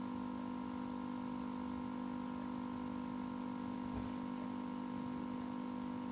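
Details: PC suddenly froze while playing a video, with a steady buzzing loop and fast regular stutter about four per second; happens frequently, sometimes recovers after 5-10 minutes with a graphics card notice, sometimes needs a reset; cause unknown.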